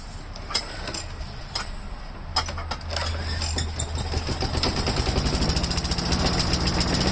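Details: Craftsman 4-in-1 mulcher after drive belt replacement, started on full choke: a few pull-start clatters, then small engine catches and builds into steady fast chug; running normally.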